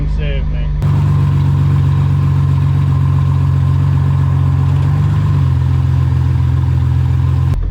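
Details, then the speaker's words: Resurrection Jeep Cherokee XJ with one-ton axle swap, first test drive on the main road: deep steady drone holding an even note while pulling, no knocks or misses; engine running really smooth though handling is all over the road. "Wow. It's running really smooth though."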